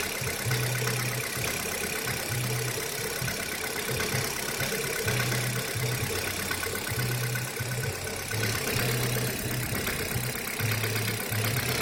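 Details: Kia Rio 3 cold start, idling cold: dull, uneven knock thumping through the low end of the engine note; engine knock when cold, source unclear.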